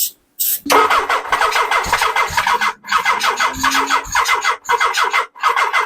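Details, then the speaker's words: 1979 Suzuki GS1000 after new Dyna ignition, battery charged: short, uneven cranking bursts with a faint catch or two, never runs. Charger indicates a bad battery. "it my charger is indicating a bad battery which I bet you if I threw this in the 750 it would start right up"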